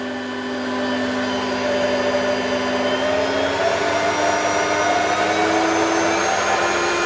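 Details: Vacuum from the tip, switched on; headlight works, but the owner suspects the electronic speed LEDs are faulty. Smooth, steady motor whine creeping up in pitch as it spins up, with no rattles or surging. Running normally.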